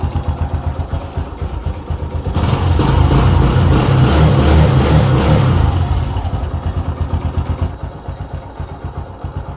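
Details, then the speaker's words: Kawasaki Bajaj CT 150 single-cylinder after valve clearance adjustment to cure valve ticking: even idle, revs up and settles back, no valve ticking left. Normal idle. "guys Okay na wala na siyang lagitik"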